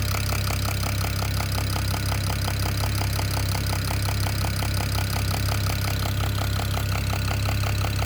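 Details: BMW E92 335i N54 at idle: sharp, steady ticking knock about three per second over a smooth idle. The owner suspects the top end but is unsure; the cause is unknown.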